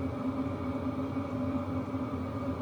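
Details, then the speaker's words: Diesel heater at about 50–60% (setting six) after max, heard from about 7 ft, drawing 25–30 W from a power station: steady low hum with soft fan rush and no fuel pump ticking; normal running. "we'll go to six see what it looks like and that definitely makes it a little quieter no fuel pump tick"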